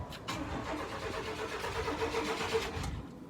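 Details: Chevy K1500 truck that sat for a few years, cranked on a new battery: the starter turns the engine evenly for a few seconds without a catch. No fuel is reaching the engine.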